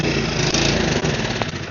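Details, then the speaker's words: Snowblower small engine after carburetor cleaning and reinstall putters unevenly with a wavering, dipping beat, as if about to die. It runs only on choke and won't stay running, suggesting fuel starvation; owner suspects something is still clogged in the carburetor. "It doesn't run regularly, it only runs on choke, so it's not getting enough fuel."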